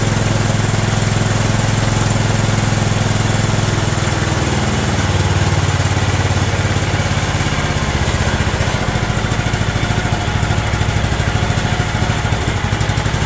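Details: John Deere LT160 Automatic mower revived after years outside, with a "Harley idle", running from a fuel funnel: steady even low single-cylinder thump with no misses or surging; smooth idle.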